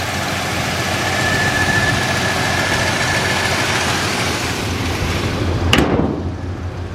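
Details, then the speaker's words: 1967 Chevrolet Impala, factory 327 4-barrel V8, sat since 1977 in the Arizona desert, cold engine: loud steady idle, even low rumble, no knocks or misses. Normal healthy cold idle. "It's kind of cold right now, so the motor is. Sounds good."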